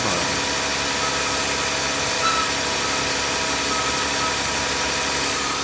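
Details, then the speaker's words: Jeep Grand Cherokee on a cold morning after remote start: a steady, high, rasping screech over the idle from the front belt drive; a noisy idler pulley bearing (part 05281301AA), fixed by replacing the pulley. "put your fingers in there a lover very much so you heard the noise and I can tell you it's this one pulley here"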